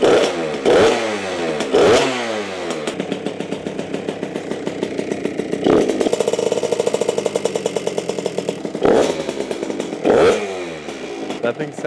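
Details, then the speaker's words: $300 Suzuki RM65 two-stroke mini bike, just kick-started after about 4 kicks, choke off: crisp, ringing throttle blips rise and fall cleanly with a steady idle between them. Engine sounds healthy. "thing sounds good, dude. Oh, I'm not gonna want to sell this thing now."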